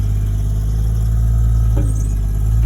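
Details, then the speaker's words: RB25-engined Nissan Cefiro on a test drive just after fitting a new LSD diff in place of the old locked diff: smooth, even low engine purr with no chirp or scrub from the rear. Diff healthy. "Listen to the old girl purr. Oh, look at that, listen to that, no fucking chirping."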